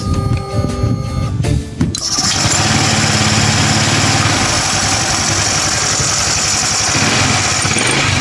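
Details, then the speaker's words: Honda Click 150i scooter after overhaul following overheating from coolant loss and a bypassed thermostat, coolant refilled: starts on one click and settles into a quiet, smooth idle with no knocking or rattle, no longer noisy. "Yan, tahimik na siya. Hindi na maingay. At one click na rin siyang umandar."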